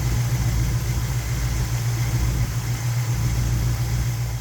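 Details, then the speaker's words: '78 Monte Carlo 305 (5.0) small-block V8, rebuilt 2004, under 50 miles, rebuilt Edelbrock Performer 1406 carb tuned, timing 16° BTDC, idle mixture screws set to highest vacuum then backed out a quarter turn; smooth even low rumble, steady rpm, no misses or hunting; normal idle. "So this is where the motor is the happiest. So I'm gonna keep it this way for a bit until I start test driving it and trying to see what needs to be changed out right and fine tuning it."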